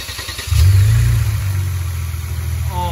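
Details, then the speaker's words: Kia Stinger GT2 rebuild after removing plastic from the throttle body and fixing a boost leak, which had made it loud and rough: catches and settles into a steady even low rumble, no misses; runs smooth. "man that that runs smooth huh I still have no attack for some reason though C is running perfect now"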